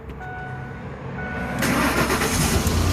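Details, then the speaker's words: 2004 Lincoln Navigator after fixing a no-crank no-start caused by a dead starter solenoid (starter itself fine): brief starter whirr, engine catches and settles into a steady, even run; clean crank and start, repair successful. "so this is a success"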